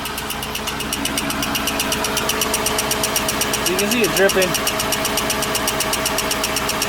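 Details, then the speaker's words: 1954 Buick revived after sitting since 1992, just run and driven and actively leaking: a sharp, regular ticking at about four per second over a steady idle, a weird noise whose source is unknown. "i can see it already actively leaking and then it's also making this weird noise"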